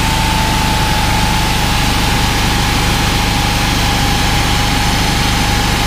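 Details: Honda GX390 13 hp engine driving a 21-litre pressure washer pump: a steady single-cylinder drone with an uneven beat that dips in speed as soon as the trigger is pulled; the engine labours under the pump load.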